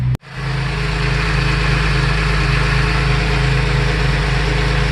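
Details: Idle after cleaning the air filter, air box, MAF sensor, air tube and throttle body and running Seafoam through the throttle body: steady, even low idle, smooth rhythm, no knocks, misses or hunting; normal idle.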